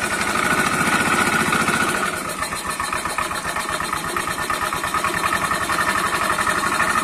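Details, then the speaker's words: Italika CS125 scooter at idle, reported noisy by its owner: a loud, fast, regular knock stays heavy throughout; the mechanic suspects the connecting rod and will remove the engine to inspect. "tener que proceder a bajar el motor para poder revisarlo, porque sí es bastante ruido. Al mi parecer se escucha como si fuera la biela."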